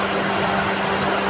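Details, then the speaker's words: Maruti Ertiga with no-crank no-start fault: radiator fan jumped with a single wire, steady airy rush and even hum over idling engine, no rattle or wobble; fan running normally. "चल चालू हो गया पंखा sir इस तरीके से ही आप पंखा भी डेट कर सकते हैं गाड़ी स्टार्ट भी कर सकते हैं"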